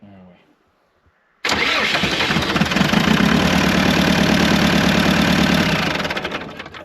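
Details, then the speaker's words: Old site dumper diesel started after sitting unused for years, on booster-pack power after injector work; it fires straight away into a loud, lumpy, uneven clatter that never smooths out, running on only two cylinders. "there you have it, running on 2 cylinders if you don't mind."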